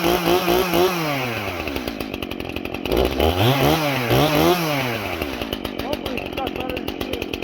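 Engine revs drop as the chain bites, then climb back smoothly; it loads up slightly but keeps pulling, so it is cutting properly.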